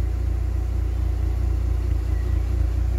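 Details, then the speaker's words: K-Series engine idling after a coolant refill with new tank, warming up: low, even pulsing idle with a steady beat, no misses or knocks, purring; normal idle. "just purring like a kitten"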